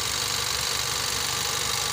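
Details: 2017 Nissan X-Trail T32 non-hybrid, complaint of rough running and hard starting (P0335 crank sensor), plugs recently replaced elsewhere; warming up during ignition checks: even idle with constant hiss, no stumbles or knocks; normal idle.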